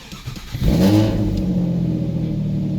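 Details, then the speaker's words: Nissan Altima started after the front main seal fell out, with the serpentine belt off and oil pressure being watched: catches quickly and settles into a steady, even idle; sounds good. "Yep, sounds good."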